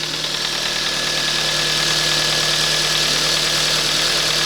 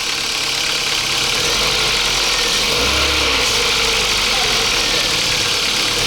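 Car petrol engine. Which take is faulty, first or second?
second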